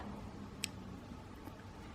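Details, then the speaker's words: VFD (220V single-phase to 380V three-phase) on the mill Piglit's 2-speed Dahlander motor; relay drops out as the drive stops, switch taking priority. One sharp click in a quiet room; normal relay drop-out. "the relay stops at the same time because the switch has taken priority simple"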